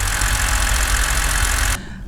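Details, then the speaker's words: Flooded non-running BMW E60 528xi at idle: loud, rough whirring roar from the left-side accessory that cuts off abruptly; owner suspects a worn AC compressor bearing or its clutch, not confirmed. "so it's definitely what makes this sound like like a bearing is gone for AC I guess it's AC compressor on that side"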